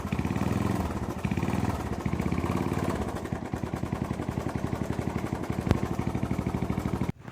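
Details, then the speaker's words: Honda GL Max motorcycle: rough idle with a quick regular clattering tick at every beat; the cam chain is slack and the cam timing has slipped about two teeth, valves not bent. "Dan untuk suara memang sedikit kasar dia untuk bagian sentriknya ini."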